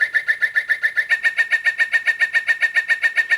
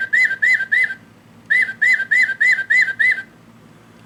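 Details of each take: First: Singing bird clock after movement replacement, hourly bird song: bright, very digital electronic chirps repeating evenly at high pitch; chime working properly. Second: Singing bird clock before repair, song triggered by button on back: warbling chirps harsh, buzzy, very digital, lower tones broken; clock movement also stopped until tapped.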